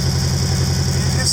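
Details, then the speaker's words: Toyota Celica on stands, engine run a few minutes and not too hot, heard from underneath: a rapid, even puffing exhaust leak at an exhaust joint that may have separated and sits at a crazy angle, possibly knocked on a rough track. "that puffing out there? Yeah, it's a bit of a crazy angle as well. I reckon I might have knocked that on the track up to the Welsh cottage."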